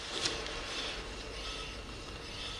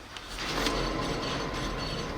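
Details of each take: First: 2005 Scion tC, 169,000 miles, driver side front wheel spun by hand: light airy brake pad scrape, no hum or growl; wheel bearing healthy. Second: 2005 Toyota Scion tC with 169,000 miles: hand-spun passenger front wheel gives a rough, gritty hum with faint ratcheting over brake pad scrape, a worn wheel bearing causing loud cabin noise when driving; bearing to be replaced.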